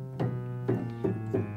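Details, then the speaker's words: Kioshi Gen-1 digital piano after adjusting sensor rail bracket height: five separate notes with matching loudness and clean single attacks, no doubled tones; keys now respond evenly. "the same loudness no double tones anymore over here now we'll check the pedals"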